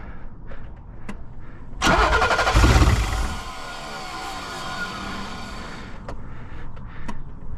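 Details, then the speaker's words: 1986 BMW 325e E30 sedan, crank-no-start, run on gas from a spray bottle: short crank then a brief rough catch that roars and fades within seconds; runs only on sprayed fuel, injectors later found clogged or low-flow. "Alright, so we're gonna try keeping it running with a spray bottle, and then putting this back on, see if it works."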